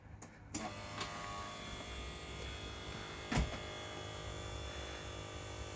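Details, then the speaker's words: 1989 Jaguar XJ-S V12 Teves ABS motor and pump charging the accumulator from fully depleted, in the engine bay corner opposite the driver: a steady electric buzz with one clunk, pitch lowering as pressure builds against resistance. Normal ABS pump charging. "So you can hear it buzzing over there. You hear the pitch change and lower. That's as the pressure builds in the system and the pump's faced with resistance."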